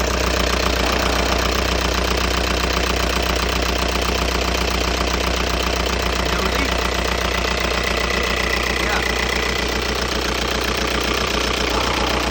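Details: 2002 VW Jetta ALH TDI diesel, first start after replacing the injection pump upper and lower body gaskets (fuel leak). It catches and settles into a steady idle with even, light clatter and no misses or stumbles, running normally.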